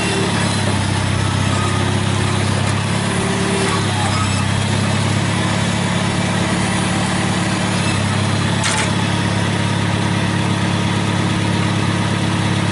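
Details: 1955 Farmall Cub after sitting all winter, carrying good oil pressure with no blow-by: a quiet, even low rumble at constant speed with no knocks or misses. Normal running.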